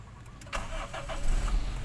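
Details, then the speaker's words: 1994 Toyota Great Corolla 1.6 SEG manual: brief starter whir, catches immediately within half a second and settles into a smooth, even idle with no strange noises; a clean, healthy start. "Oke kita starter langsung jalan Langsung jereng untuk kondisi mesinnya mesin kondisi nyala rekan-rekan mesin kondisi nyala oke ya masih halus rekan-rekan halus tidak ada suara aneh-aneh untuk mesinnya"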